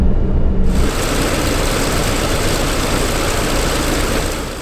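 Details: Douglas DC-6B radial piston engine during the incoming ground run for the annual inspection, on a cold day: deep, rough, loud roar at high power, steady and even with no misses or knocks. Healthy run-up.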